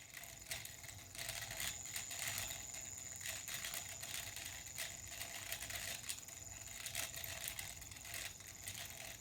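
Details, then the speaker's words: Homemade pulse motor built from glow-in-the-dark magnet rings, rotor on a needle in a 3D-printed hub, sound turned up; faint thin rattle over a steady high whine as the out-of-balance rotor chatters. "I might turn the sound up so you can hear it rattling because it's out of balance which is why it's rattling"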